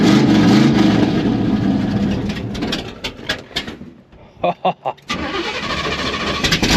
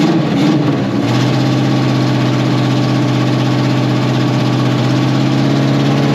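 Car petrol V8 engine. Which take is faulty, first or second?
second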